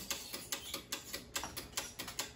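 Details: 6-zone Argo boiler switching relay chattering: rapid dry uneven clicking about five per second, no motor behind it, heard while the zone valve end switch is pushed in; traced to a faulty zone valve end switch.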